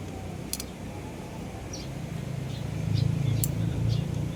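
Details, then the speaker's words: Rusi Macho 175 with good spark that starts but won't keep running: the single-cylinder catches after a couple of seconds and builds to an uneven low thump; water had mixed into the fuel in the carburettor. "tubigon pinauranan siguro ni yung tangkeusog man dito dirin ko yung karburator niya so doon nalaman ko na may tubig may halong tubig"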